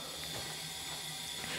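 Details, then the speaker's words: Honda Accord leakdown test on cylinder 1: faint steady hiss of escaping air, nothing from exhaust, air passing to neighbouring cylinder; head gasket leak between cylinders 1 and 2, to be confirmed by removing head. "pretty much everything's telling us it's that the head gasket is cracked between cylinders one and two"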